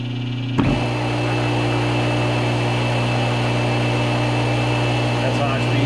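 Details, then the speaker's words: Rebuilt pump motor with new bearings, run from a rebuilt Balboa digital control: snaps on to a steady, low, even hum at high speed (3,450 RPM), no bearing rumble or squeal; normal, sounds like a brand new motor. "Listen to that hum, man. That sounds like a brand new motor."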